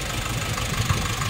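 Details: Nissan NV350 diesel idling with excessive engine vibration and no check-engine light: uneven, lumpy low thumps and shake instead of a smooth beat.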